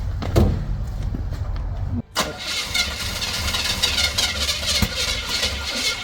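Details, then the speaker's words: Chevy C30 Camper Special square body with 454 big-block V8, sitting for almost two decades, first start: cranks and catches, then idles with a sharp ticking puff over the rumble; cracked exhaust manifold. "have a cracked manifold just like every 454"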